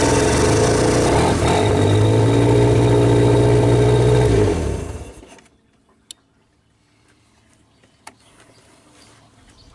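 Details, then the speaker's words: Old Genie boom lift engine: it starts and idles steadily for about four seconds, then dies abruptly as the CR3 relay contacts change and power to the ignition coil is cut; a control-side or main relay fault is suspected; stalls after start. "so you saw when the engine ran the relay was the contacts are open but then um everything just shut down like the contacts closed and the engine shut off at the same time"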